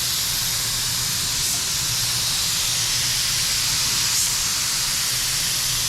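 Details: DeVilbiss FLG4 paint gun after the suspected clog dissolved: steady, even hiss of air and paint with no sputtering or spitting; atomizing cleanly and spraying normally.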